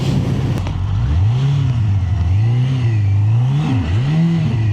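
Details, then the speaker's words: Suzuki GSX-R1000 K1, 28,700 on the clock, riding under acceleration: engine note swoops up and sags repeatedly, revs climbing faster than the bike pulls; clutch not engaging right, owner suspects clutch adjustment after fiddling with the left-side pin, or plates. "oh yeah clutch something wrong with a clutch there it's not engaging right"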